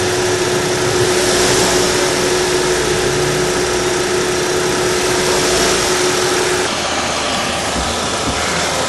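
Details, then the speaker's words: 2012 Chevrolet Sonic engine running with a steady mid-pitched whine over the hum, first thought to be a rod knock; the cause was found to be the water pump, though it had no play. "encontramos la causa del ruido era la bomba de agua aunque no tiene juego ya la estamos probando"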